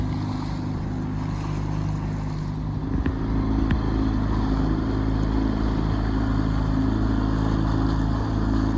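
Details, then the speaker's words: Sailboat engine that had trouble starting (turned over but not getting fuel or air in lines; had been bled), now running with a steady, even low rumble, no misses or knocks; engine working as it's supposed to, normal running. "do you hear the sound of that it's the engine working that's what it's supposed to do"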